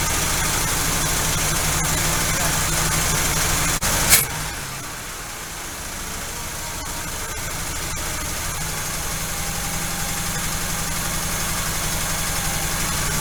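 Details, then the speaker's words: V8 idling far too high on first start after Quadrajet carburetor rebuild, idle screw already backed off; fast steady idle with a light regular lifter tick about four per second, which owner thinks may quiet after about 10 minutes of running. "okay still idling way too high i've got the idle screw backed off and i hear a lifter tapping a little that might fix itself once it runs for a good 10 minutes or so"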